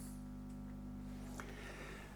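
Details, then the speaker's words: Late-1960s East German Vermona MV3 tube guitar amp during restoration, hum cancellation not yet adjusted, heard from the speaker on the floor. Steady low hum with no playing, confirmed at 100 Hz with overtones: ripple from the rectified DC supply, not mains. "I've confirmed that that is 100 Hz hum, which means that it is hum from the rectified uh DC, not from the mains."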